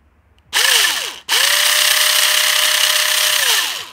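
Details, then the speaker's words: Jing Ming J10 ACR gel blaster gearbox with metal gears, after reassembly: two short bursts of smooth, even whirring, pitch rising and falling cleanly, no grinding or clicking; correct gear mesh. "that is what a good mesh should sound like, even on Metal Gears."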